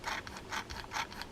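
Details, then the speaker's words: Fishing reel awaiting overhaul, handle turned by hand: rough rasping grind pulsing about twice a second, like filing metal; owner suspects a bent bail, with salt buildup seen; grinding, rough reel rotation. "I can just feel it. Actually, you can hear it. It almost sounds like somebody's filing."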